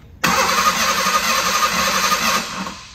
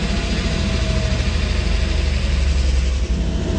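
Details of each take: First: 1989 Ford Bronco II stored for years, new battery: starter cranks steadily about two seconds, engine never catches; no fuel delivery, pump wiring tested (near 0 V at ignition on, 12 V on other wire, possibly swapped polarity at butt connectors). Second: 1989 Ford Bronco II first start after years stored, new battery, fuel pump heard priming: deep, steady idle rumble holding even without stumbling; oil pressure high 50s, running properly.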